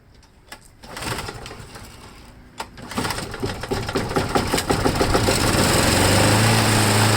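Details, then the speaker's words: Briggs & Stratton Quantum lawnmower engine, primer poured into spark plug hole, last run out of gas a year ago: two failed pulls, then sputtering that slowly catches into a steady run; owner suspects gone-bad gas, dirty carburetor needing cleaning. "so I guess it's going to be a carburetor cleaning and a H yeah it doesn't want to do anything"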